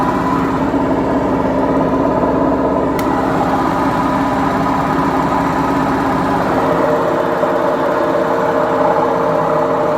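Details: BEKO washing machine, 7 years 8 months old, during spin: loud, steady rumbling roar with a humming drone from worn drum bearings.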